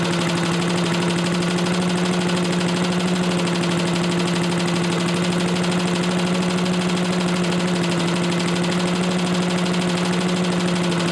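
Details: Old Lindell Litter Gitter yard vacuum's small engine, running after a new carb gasket, set to half, outdoors: steady, even high drone with unchanging pitch, no stumbling or surging; runs well enough, carb adjustment to follow.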